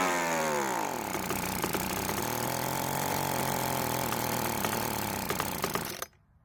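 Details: Free Weedeater leaf blower that wouldn't start, after repair: two-stroke spins up quickly, holds a steady high buzz, then cuts off; running properly again.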